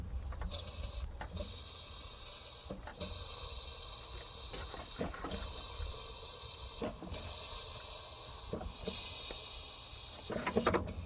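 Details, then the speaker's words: Case 800 tractor engine turned over by hand: a sharp airy hiss rises and cuts off about every two seconds on each compression stroke, compression escaping from one cylinder; owner suspects more than normal ring blow-by. "okay i don't know if you can hear that or not but when i turn this engine over by hand one full crank one full rotation so the compression stroke i can hear air pissing out and one of these cylinders"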